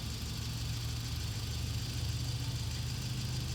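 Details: Warm turbo Toyota 22R-TE four-cylinder pickup with Haltech idles low and uneven, its deep beat lumpy and unsteady because the idle speed is set wrong; fixed by adjusting the idle speed screw.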